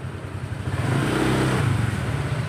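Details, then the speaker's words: Honda Vario automatic scooter that lost power and stuttered at low rpm, after repair: smooth, even rise and fall in engine note with no stumbles or cut-outs on the throttle; no delay or stutter, normal revving. "Ini responsif. Tidak ada penundaan, tidak ada gagap, hanya respons langsung."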